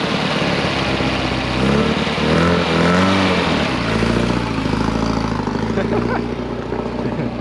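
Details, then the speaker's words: Abandoned 1975 Chevy Vega Cosworth at start-up before its first drive. It starts right up with a quick, buzzy, rotary-like idle that sits steadily well above normal tickover: the idle is high. "thing sounds like a RX-7 rotary. And the idle's high."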